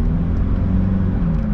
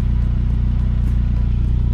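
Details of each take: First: 2002 Saab 9-3 Convertible at idle after sitting about six months: deep uneven exhaust rumble and rough low chuff from a leak at the joint between the center and rear mufflers; center muffler badly deteriorated. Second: 2002 Saab 9-3 Convertible at idle after a home repair of an exhaust leak at a rusted center muffler: steady even low pulse, no puffing or ticking from the joint; sounds solid and quiet, though the fix is not expected to hold.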